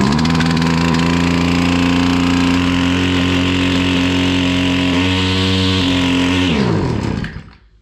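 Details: Husqvarna 553 RBX two-stroke brushcutter that would not run, after fault diagnosis and repair: strong even drone holding steady high speed, then winding down cleanly at shutoff; running healthily.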